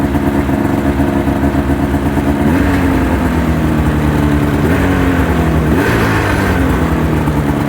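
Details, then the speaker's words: 2005 Ski-Doo MX-Z Renegade 600 H.O. SDI two-stroke, warmed up after a fuel pump, pressure regulator and strainer replacement that fixed its hard starting: an even, steady two-stroke burble with only slight pitch drift, running cleanly. Normal warm idle. "two miles on it good running good riding machine once it got warmed up"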